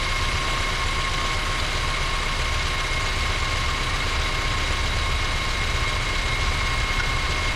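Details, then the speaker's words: 2012 Honda Civic natural-gas engine with code P0303 idles with a slightly uneven, shaky low rumble, a misfire on cylinder 3 whose misfire count keeps climbing. "it has a misfire on cylinder number three and the interesting thing is it's natural gas"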